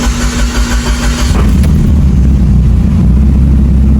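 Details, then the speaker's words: Built Mitsubishi Evo 8 brought back after many issues, in neutral with foot off the pedal, before a first no-boost pull: deep cranking flows into a firm, steady, loud idle with no misses or knocks; normal start. "There it goes. Just like that. Now we getting this car dialed in."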